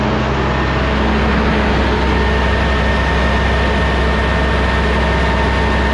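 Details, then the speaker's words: Rebuilt Cummins ISL9 (in-frame rebuild after dusting), warming up, idle raised about 100–200 rpm via cruise with engine brake on: steady, even low drone, no knocks or misses. A slight labor came from the air compressor cutting in when the dryer purged. "Cruise on it to where, well, it does have cruise. And I set the cruise and bump the idle up. Engine brake on, idle increase."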